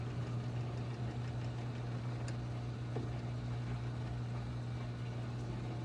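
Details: GE Hydrowave washer after washer motor replacement (not-spinning fault): quick drain and spin gives quiet, steady low hum at constant speed, no grinding or knocking; normal spin.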